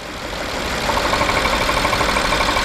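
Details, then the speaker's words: BMW 750Li N63 V8 idling with oil filler cap open, rhythmic chuffing pulsing with firing; heavy crankcase blow-by, cylinder 7 misfire, suspected major cylinder compression leak into crankcase after spark plug replacement. "is a lower pressure coming out which is not good and that makes me team than just the engine has a problem because it could be a major compressional league major pressure cylinder pressure leak he goes to the crankcase"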